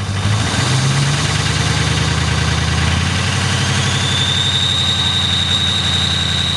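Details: 6.0L diesel on a cold start, revved then dropping to an uneven idle with a steady hard clatter over the rumble, pointing to faulty injectors.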